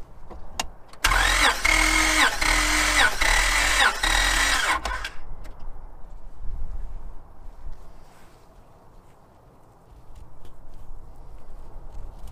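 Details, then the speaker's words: 2005 Honda Pilot compression test after timing belt failure and replacement: starter cranks about four beats a second with uneven, lopsided rhythm; cylinder six reads zero psi, cylinder three low at 70 psi. "so there's a a major outlier on cylinder six obviously with zero psi and you can actually hear that I when I was being turned over the lacked any pressure"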